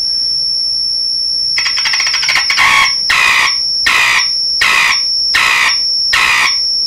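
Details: DeForest 10DA517 AM tube radio at full volume, wiggling output connection: piercing high squeal cutting in and out in bursts a little faster than once a second; oscillating, owner suspects making and breaking the output, not confirmed.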